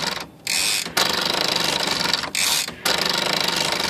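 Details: Smith Corona typewriter (no-silencer model) after freeing a sticky part and adjusting the power spacer arm downward, fixing a carriage that wouldn't latch and flew to one side: even crisp clatter and carriage travel, no sticking; working properly.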